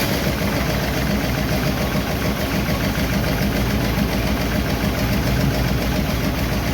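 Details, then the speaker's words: 1951 Chevy engine idling after a second minor valve adjustment, slightly cooled beforehand: faint light tick about three or four a second over steady idle, way better than before; minor valve tick, owner will let it run to see if it quiets. "It's a very minor tick there, but it's way, way better. Let it run for a while and see if it quiets down a bit, but it's not bad."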